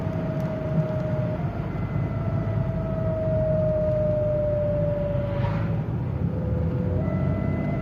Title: Whining noise from the car/ Wycie samochodu BMW E39 528i